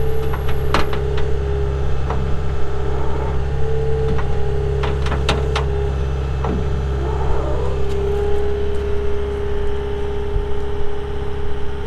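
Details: 2021 Caterpillar 259D3 skid steer diesel, 2,730 hours: steady, even drone with no misses or knocks, plus a few light clanks from handling; normal healthy idle.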